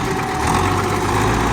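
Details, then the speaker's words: MTZ-82 tractor pulling an SPCh-8 seeder while sowing sunflower: a steady high whistle from the seeder's fan over the tractor's even diesel rumble; normal operation. "Чуєте, як свистить наша"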